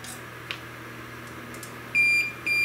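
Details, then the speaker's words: Neotec NT-2701 27-inch arcade monitor chassis with a ticking fault: after a quiet hum, a steady continuity beep sounds when probes touch the pads, a dead short on the trace or circuit, while the HLT itself is not shorted. "dead short so we got something on the trace or on the circuit that's shorted that shouldn't be"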